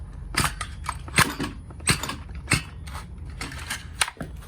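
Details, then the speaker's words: Fairly new two-stroke strimmer, compression check by pulling the starter slowly: distinct puffing pops about every 0.7 seconds with strong resistance on each stroke. Good compression. "see if it makes a sound like this you see how mine makes a little p p p sound that means mine has very very good tension"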